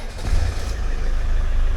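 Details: Land Rover diesel, first failing to crank with only a click due to loose battery terminals: diesel catches and settles into a steady, deep, even idle with no misses or knocks; running fine once the connection holds.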